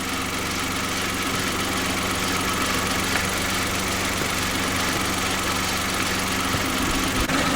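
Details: Kia engine, steady idle with a fast, faint tapping knock about four per second over the engine hum; the knock is still there at idle and seems, if anything, worse.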